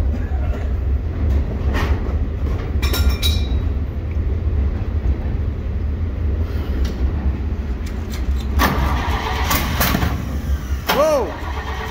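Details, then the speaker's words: 1956 International S-160 truck, first start-up attempt after revival: engine runs unevenly with lumpy, stumbling rhythm, smoothing slightly; owners suspect plugged carburetor jets, not confirmed. "a little bit better again it's getting a little bit better we think the jets are plugged up"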